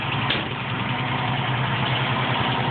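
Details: 1973 International 1310 one-ton dually 2WD with a 392ci V8 and 34,438 original miles, warm after a morning of driving. Smooth, even V8 burble with a steady low rumble and no knocks or misses: a healthy idle.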